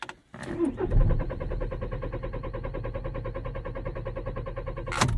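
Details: 2006 VW Passat B6 1.9 PD TDI with 318,000 km that reportedly starts only in first gear, cranked in neutral. The starter spins it evenly for about four seconds with no firing at all: crank, no start.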